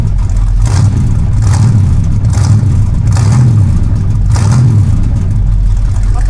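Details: Big-block Mercury land yacht just fitted with DIY dual exhaust, 2.5-inch pipes from the manifolds, Thrush glasspacks and turndowns: a deep, loud burble rising and falling with throttle blips and picking up cleanly; healthy, louder than expected.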